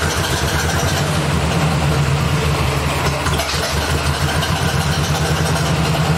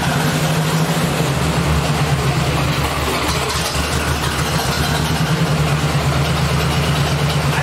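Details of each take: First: 1964 Ford 4000 tractor after an electronic ignition conversion replacing the points and condenser, timing set by ear: a low idle that stumbles and misses unevenly as the throttle changes. Owner suspects incorrect ignition timing. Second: 1964 Ford 4000 tractor after electronic ignition conversion and timing adjustment: steady, even low drum with no misses or knocks, firing cleanly; owner feels slight power loss, possibly a bad wire or plug.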